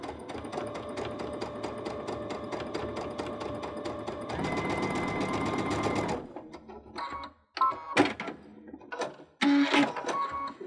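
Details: Baby Lock Unity sewing pintucks with the 3-groove pintuck foot, a 3 mm twin needle and cord: fast, even stitching chatter for about six seconds at a steady pitch, then stops; the machine is sewing normally.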